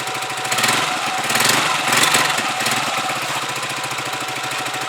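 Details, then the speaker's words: Huoniao HN125 Chinese motorcycle with newly fitted carburettor, warming up with choke off; small single popping at a fairly steady idle, a bit uneven but holding well, idling better than before. "Choke off. Definitely idling better. I'll just let that warm up."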